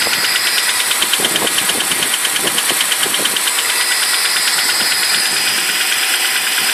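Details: BMW 745i E65 V8 at 2°C outside, right after cold start: fast, light top-end clattering ticks steady with idle, disappearing after 1 min 20 s; owner suspects an old chain tensioner, unconfirmed.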